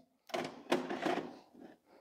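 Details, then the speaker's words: LG FC930W VHS VCR after the loading fault was repaired and the head cleaned: a brief run of soft clicks and motor whirr as the tape is drawn in. The cassette loads cleanly and goes to play. "goes in beautifully loads nicely says play and there we go"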